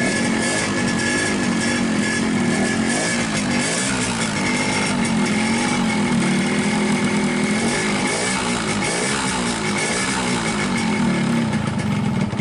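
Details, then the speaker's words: 2003 Yamaha RX-King two-stroke with low compression and unstable idle: revving unevenly and hunting with a hollow rattling slap on the engine note; piston slap from a loose, worn piston rocking in the bore, fixed by new piston. "Ini pistonnya, sudah longgar seperti ini. Dan ini membuat suara mesin terdengar kurang mantap, teman-teman."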